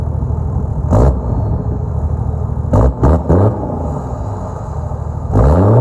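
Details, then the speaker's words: Toyota Land Cruiser 105 series diesel after a dyno tune at HPD: rumble at idle with sharp throttle blips, each followed by a rising whistle as the turbo spools, a healthy tuned engine with more spool and dump sound. "So you've got a little bit of a turbo whistle on idle at the exhaust, which is awesome."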